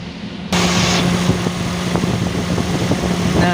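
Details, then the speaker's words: 2012 Toyota Avanza at idle with AC compressor on: a steady, airy rush with a low hum as the original radiator extra fan spins evenly, no rubbing or ticking. The fan also responds to an 80°C engine temperature; it operates normally. "agar kompresor kipas radiatornya akan berputar jadi kipas radiator ini bekerja selain selain berdasarkan temperatur atau suhu mesin 80 derajat tapi juga berdasarkan"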